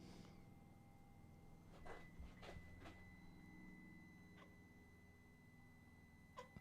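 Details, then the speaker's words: Peugeot 207 1.4 HDi (2011) with EGR fault codes P0490, P11B2, P14A4 and others: engine off, scan tool bi-directional EGR actuation test drives the valve back and forth, giving short creaky squeaks; it moves but is very squeaky. "is some movement but it's very squeaky"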